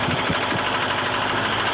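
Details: Nissan KA24 four-cylinder engine at idle with a faint repeating knock under a steady hum; owner unsure whether it is rod knock, timing chain or lifter.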